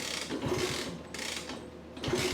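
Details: 1964 Honda C200 pushrod engine revived after sitting unused for years: slow kick-over about once a second with mechanical clatter and no firing at all, even though the compression gauge shows enough compression to start.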